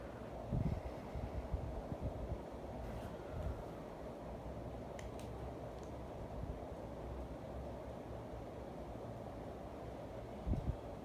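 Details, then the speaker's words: Casablanca Lady Delta 42-inch ceiling fan from September 1987, bent flywheel and paint loss: a soft, steady low whoosh with no knocks, rubbing or wobble; a powerful fan running normally. "I'm gonna go ahead and bring it close so you guys hear the air movement. It is a very powerful fan, without a doubt."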